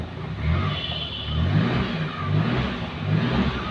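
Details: Maruti Suzuki Omni van that had been cranking but not starting: the engine now catches and revs in slow, smooth swells of low rumble, rising and falling about once a second, with no misses; running normally.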